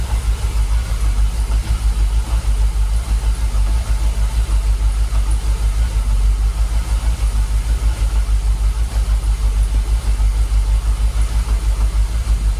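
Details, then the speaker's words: Jaguar XKR with 10-year-dormant fuel pumps, idling about 800 RPM with fuel pressure holding 45 PSI: steady even low idle pulse, no misses or knocks, no longer rocking as before; idles smoothly. "You can see on the engine, look, it's calmed down. It's a lot smoother. We're not rocking like it was."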